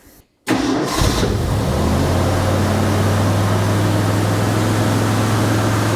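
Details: Ford F100 cranks briefly, catches cleanly and settles to a steady even idle with no misses after corroded battery cable fixed; no coolant yet, idle not yet set; starts healthy.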